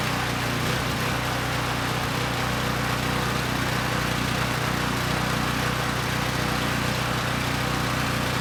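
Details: Coleman Powermate Pulse 1850 generator, 1996 engine, long unrun, before repair: slightly uneven, wavering beat, smoothing only at half choke, still supports 1500 W load; rough running from contaminated fuel and dirty carburettor.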